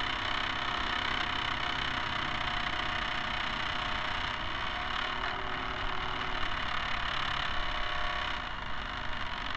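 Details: Camera barge first test run with a two-axis gimbal on top. A constant loud whirring rattle with a steady hum, unchanged throughout, comes from the dog-bone motor-shaft couplers; flexible hose couplers are planned.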